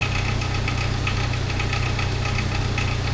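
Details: Jeep TJ at idle before its 4th timing chain replacement (no oil slinger fitted; one to be added): steady idle with a fast, loose metallic rattle about four times a second, a worn, slack timing chain.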